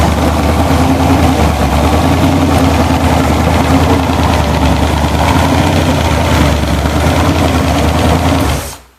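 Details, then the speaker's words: Blueprint-rebuilt 427 big-block Chevy from a 1969 Corvette, Comp Cams hydraulic roller cam, 10.0:1 compression, Edelbrock Performer Air Gap intake, bound for a 1972 Chevelle SS, mufflers off: loud, slightly lopey, even, strong idle, then clean shutdown; healthy. "i'm going to start it up i'll let you hear how nice it runs i took the mufflers off today so you can get the full full song"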